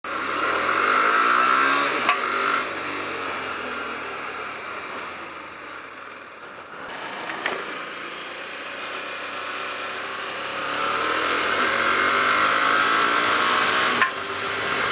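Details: Hyosung GT250R motorcycle revving up and down: sharp, irregular backfire pops every few seconds, seeming to come from the front under the gas tank; owner suspects loose carb, intake or exhaust manifold, unconfirmed.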